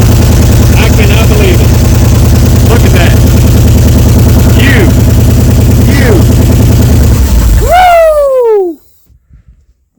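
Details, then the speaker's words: 1979 Ford F-100 sat for years, started on a little gasoline poured into carb bowls: steady even low idle with regular beat, then stumbles and shuts off as fuel runs out; otherwise normal running. "All right, we're just going to let it run that little bit of gas I just put in it. But I'm going to take you over to the side after she starts up and let you uh hear that wonderful exhaust."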